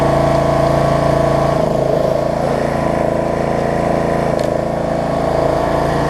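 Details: Snapper rear-engine rider after carb cleaning, throttle cable repair and replacing a stretched, cracked deck belt; steady, even single-cylinder chug idled down to a lower speed, smooth with no misses; healthy idle.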